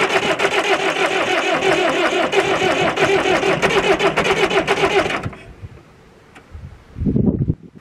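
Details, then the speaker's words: David Brown 996 four-cylinder diesel tractor, sitting about 10 years since around 2012, first start; fires and runs with a steady, even clatter for about five seconds before shutting off, a healthy start. "ah yes it lives oh man that was superb"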